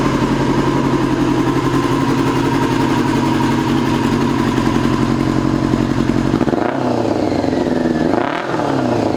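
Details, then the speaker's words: 2002 Yamaha YZF R6 carbureted four, restarted after sitting 6 years, bad rusty gas previously cleaned from the tank: uneven, lumpy idle with loose clatter and an irregular beat that never settles, as if missing on one cylinder; owner suspects a gummed carburetor or fouled plug. "I feel like one of those carburetors is gummed up. I feel like it's only running on like 3 cylinders. Could be a foul plug, or it could be carburetor's gum."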